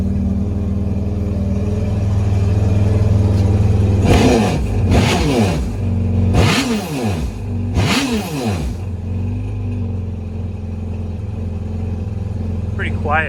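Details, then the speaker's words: Yamaha FX SHO jet ski with the seat on, after an intercooler install. A muffled low idle is heard, with four quick clean blips that settle back smoothly. It is quiet and sounds healthy. "Now we'll do a little clip with the seat on. So a little bit muffled sound. We'll see what it's like."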